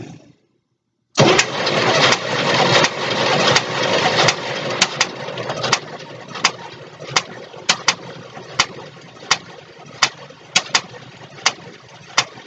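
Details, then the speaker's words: 1962 Cadillac Sedan DeVille engine with timing way out and a bent cylinder six exhaust valve, cranking with valve covers off: sharp pops about 80 a minute over the churn; owner suspects a lifter sticking and popping back down. "so it looks to me i do believe our popping noise is these uh tap it's getting stuck and popping back down from the sounds of it"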